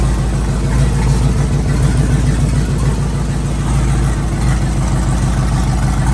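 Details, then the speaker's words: Twin-turbo Chevrolet Silverado LS V8 with 1000cc injectors, first startup after exhaust install: deep, loud idle holding steady with no knocking, ticking or stumbling; healthy engine. "holy that sounds so good and it's not even that crazy"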